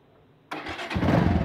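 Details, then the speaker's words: Bajaj Avenger Cruiser 220 carbureted motorcycle, 2400 km, that sat two months without fuel: it fires up and settles into a smooth, steady idle with no popping or hunting, though a clogged main jet and emulsion tube are suspected of causing uneven running when accelerated. "que se puede escuchar qué una moto en ralentí regula bien no tiene problema"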